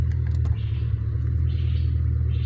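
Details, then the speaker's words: 2000 Ford Mustang 4.6 V8, coil-per-cylinder, misfire with no codes after tune-up: low uneven lumpy rumble, shaking worse in reverse during cylinder contribution test; misfire. "y por ejemplo aplique reversa y el carro está prácticamente está tiemble y tiemble amigos"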